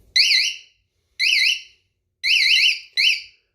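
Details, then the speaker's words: Cheap eBay motorcycle alarm just wired in, placement still being tested: four loud, high-pitched warbling siren bursts of about half a second each, rising and falling; the alarm is very sensitive, triggers easily and works properly. "so yeah it's it's pretty loud it's all wired in now I'm just trying to figure out the best spot I want to put it so it's very loud honestly it's a lot louder than I thought it was going to be"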